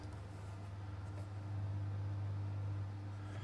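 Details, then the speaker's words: Early-run Astor BPJ valve radio, sold as not working, powered up after recapping and a volume control clean: very loud constant deep mains hum with thin buzz on top; owner wonders if valves unseated or volume control/soldering faulty. "it's making a very loud humming noise wonder if the valves of come un seated"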